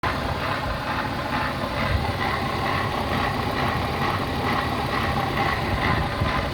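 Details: BMW E36 M52B25 engine: an uneven, lumpy rough idle with loose pulsing roughness clearly from the front of the engine; the owner suspects VANOS or the idler/tensioner, cause unconfirmed.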